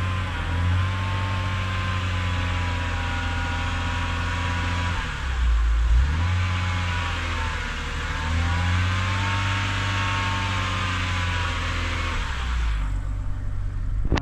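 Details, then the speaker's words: BMW E70 X5 30i with N52K inline-six, serpentine belt removed: whine still rides over the idle, rising and falling with revs, so the alternator is ruled out; engine whine remains. "it appears it appears that the wine is still there so looks like it is not the alternator"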